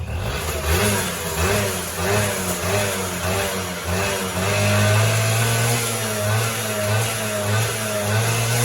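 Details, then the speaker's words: Honda Elite 50 49cc two-stroke scooter, kick-started, revving up and down: light tinny rattle over the exhaust buzz, ring rattle from slop in the worn top end, which the owner says these all have; runs otherwise strong. "These come standard with something called ring rattle. They all do it. You'll hear it. Just some slop in the top end."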